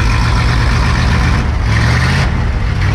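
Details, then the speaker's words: Dodge Power Wagon 4x4 dump truck, formerly a water tender, with a 318 V8 and 9,500 original miles, started cold, likely after sitting a while: deep, steady fast idle with even firing and no knock or tick; healthy. "Hasn't been started for a while, I'm sure. 9,500 original miles. I love that sound. And it's cold, folks. It's a 318."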